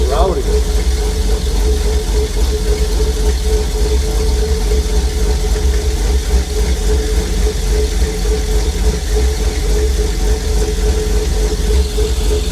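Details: 1950 Chevy cabover, LS-swapped V8, first start after VATS anti-theft delete: loud steady idle, even rumble, no misses or knocks, running fine; oil pressure reading maxed at 130.8 PSI, dropping to -15 unplugged, sensor suspected bad.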